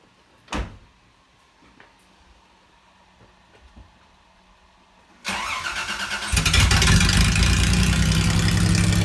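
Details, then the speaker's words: Toyota truck with catalytic converters cut off, leaving a basically straight pipe from the header dump to the rear, before the muffler fix: after cranking, a very loud, raw, rumbling idle with a deep pulsing beat, and exhaust leaking into the cab. "so we're gonna fix that for him and we'll give you a little bit before and after comparison on what it sounds like it's terrible"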